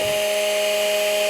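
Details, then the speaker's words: Makita XMU04 grass shear (previously not running, then surging) with its 12 V motor fed 13 V from a variable supply during a continuous free-speed test: clean, steady high whine at one pitch, no roughness; healthy. "so you can hear on the pitch that it's controlling the voltage so now we have 13 volts so this is uh this is all doable it works continuous duty free speed test"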